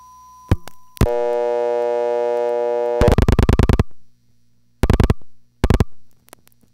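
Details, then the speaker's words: Crossbar call failing on both route and alternate trunk, dumped by the marker to the crybaby tone: relay clicks, steady buzzy tone, clatter bursts; only half the tone is heard because oscillator tubes and crybaby need replacing. "we only hear half of the tone because the oscillator tubes and the crybaby need to be replaced"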